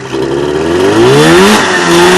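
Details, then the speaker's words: Polaris TXL twin-cylinder two-stroke snowmobile engine just rebuilt with home-bored and honed cylinders, first start, oil pre-lubed, belt not moving: crisp crackle rising and falling cleanly through quick blips; runs healthy and eager with its unique twin sound. "but i will tell you the txl has its own unique sound like no other twin cylinder snowmobile"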